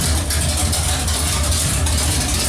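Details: Pontiac 455 V8 just installed, running with no exhaust fitted. Loud, deep open-header idle with an even, steady pulse and no misses or knocks. Smells rich, feels powerful; normal idle.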